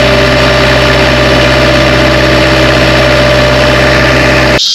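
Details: Bobcat 773 skid steer diesel after replacing the in-tank fuel pickup with check valve and bleeding air: steady, even idle with a smooth low drone, no misses or knocks, until shut off; repair successful.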